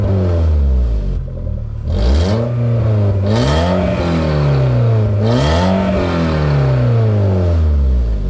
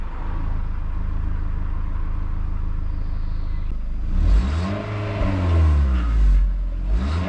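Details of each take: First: VW Mk4 Bora wagon, 1.6 16-valve, muffler removed; repeated revs with a loud, deep, open drone; exhaust leak, owner suspects he broke the pipe further up while shaking the exhaust. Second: VW Mk4 Bora Wagon, 1.6 16-valve, stock exhaust before a muffler delete, warm after an hour's drive, not a cold start. Even low idle rumble and a few smooth rev blips. Normal start and idle.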